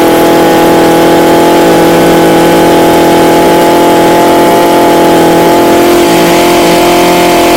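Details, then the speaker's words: Echo HC2000 hedge trimmer with a replaced primer bulb, cold start: small two-stroke buzz at a steady high idle, even and with no misses; runs properly, with smoke blamed on a bad oil mix (Seafoam added). "alright guys so this is a winner winner chicken dinner now the reason why it's smoking Chrissy the oil mixture is awful"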